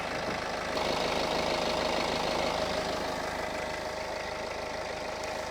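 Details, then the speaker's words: BMW E91 LCI with replacement N47 diesel, new timing chains, 5.2 L 5W-30 oil: smooth, even diesel idle clatter with no knocks; engine runs flawlessly, though rear wheel bearing and suspension are worn. "runs pretty damn good so this car it runs pretty good the engine is performing flawlessly"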